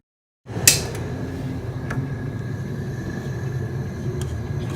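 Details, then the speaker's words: 2016 Friedrich Kuhl 12,000 BTU air conditioner with LG scroll compressor, recorded at the outside unit: steady low fan drone with a thin constant high whine and light clicks; fan motor bearings starting to go bad, suspected. "also i forgot to mention this cool is starting to have bad bearings listen"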